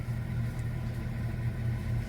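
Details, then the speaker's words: 1967 Chevrolet Chevelle Malibu four-door, 250 inline-six, three-speed column shift, after a couple of weeks unused: low idle rumble with uneven beat and occasional dips; slight misfire and stumbling, carburetor and fuel filter to be checked. "so i have to admit it's got a bit of a miss in it"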